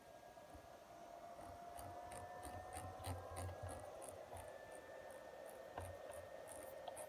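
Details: Behringer Deepmind 12 synthesizer: quiet, steady cooling fan whine with a faint high tone and light squeaky chirps about three times a second; owner unsure whether normal.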